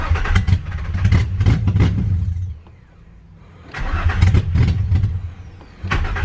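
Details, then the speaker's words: Nissan 350Z first start after new engine, fresh battery, intake just reconnected: engine fires and runs unevenly about two seconds, dies, restarts, fades again; starts then stalls. "well she started but hopefully she stays starting"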